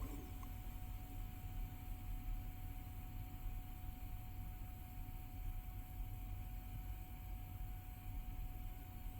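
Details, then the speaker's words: be quiet! Pure Loop 360mm AIO installed in PC, tube-mounted pump at full speed, after a few hours of use: faint steady buzz over a low hum, the loudest part of the build; owner believes it was quieter at first, cause unconfirmed. "don't know if you can actually hear that buzzing sound, but that is coming from the actual pump itself. So now the loudest part of my case or my build here is definitely that pump."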